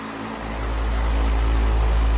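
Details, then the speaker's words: 1998 Patton 20-inch high velocity fan (I-20CA/U220) after cleaning, oiling and reassembly, on low speed: low steady rushing hum with even airflow, no rattle or wobble; running beautifully with very minimal shaking. "Nice and gentle, but it's still stirring up a huge windstorm in here. Beautifully running fan."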